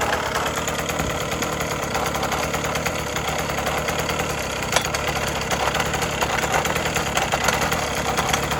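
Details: 1980s Cruise N Carry outboard after sitting about 20 years and then getting a carb clean and fresh gas, under light throttle with the prop turning. The two-stroke drone is even and buzzy with no misses or knocks; it runs cleanly.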